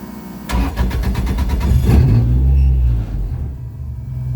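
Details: Toyota Sprinter (AE86) drift car just fitted with a quieter muffler, brakes bled after a braided brake line fix: starter cranks about three times a second, the engine catches with a brief rev, then settles into a smooth, even, deep idle.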